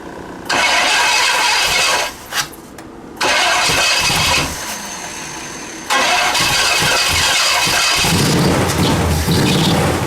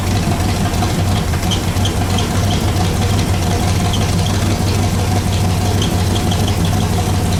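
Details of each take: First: Pontiac Bonneville (Pontiac 455) Holley carburetor with stuck floats pouring fuel out; starter cranks in short bursts, engine barely catches then dies; flooding from stuck carburetor floats. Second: Pontiac Bonneville (Pontiac 455) after freeing stuck Holley floats and raising idle; steady V8 idle, low even rumble about three beats a second with light ticking, no knock; 40 psi oil pressure; normal idle.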